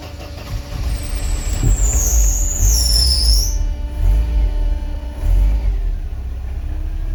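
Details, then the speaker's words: 1993 Mercedes 190 with the coolant temp gauge still pegged after a new temp sensor: a long uneven cranking rumble with the foot on the gas pedal before it catches and runs rough. Extended crank. "so as you can see there extended crank I have my foot on the fuel on the on the gas pedal"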